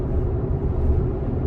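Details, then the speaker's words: 2020 Chevrolet Colorado at steady driving speed: low, uneven rumble that shakes the whole truck. Scan data shows torque converter clutch slip repeatedly jumping over 100 rpm, confirming torque converter clutch shudder. "It's doing it really often, and that's your torque converter shudder. So I don't know if you guys can hear that, but it's shaking the whole truck right there."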